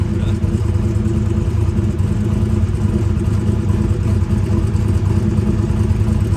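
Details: Twin-turbo big-block Chevy Nova during a shakedown idles deep and lumpy with a steady, even beat and no misses. EGTs suggested cylinder 1 wasn't firing, but a temp gun confirmed everything fine, so the EGT readings were false.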